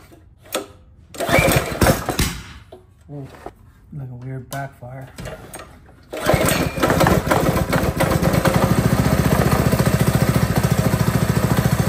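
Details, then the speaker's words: Predator 224cc single-cylinder four-stroke on a Razor Ground Force snow kart conversion, first start on choke: spluttery start with one odd pop, then a steady, even thump; running fine. "seems to be running all right guess we're doing this"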